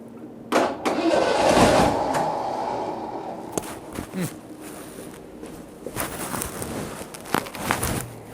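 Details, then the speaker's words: 1986 Ford F-150, start attempt after a carburetor swap in cold, snowy weather, following a roadside breakdown. Short bursts of starter cranking die away without the engine picking up. It cranks but won't start; the owner suspects flooding or a fuel supply problem, unconfirmed. "my head might be flooded a little uh adjustment to the car now see if we can get a little fuel up in there"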